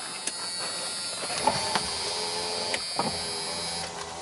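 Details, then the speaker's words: Mercedes W123 Pullman factory limousine power window: steady motor whir with uneven clicks and catches as the glass hops instead of running smoothly; another window does not work; switch or motor suspected, not confirmed. "there you go there you go that one that one hops a little bit this one does not work seems like a switch or motor I don't know"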